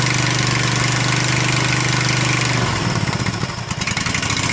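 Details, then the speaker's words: Husqvarna Z254 mower engine after a new ignition coil was fitted, still on the old plug: the small single fires and settles into a steady, even idle, then the pitch shifts with throttle; running cleanly. "he's running good now with that new uh new thing on I can't remember what you call it"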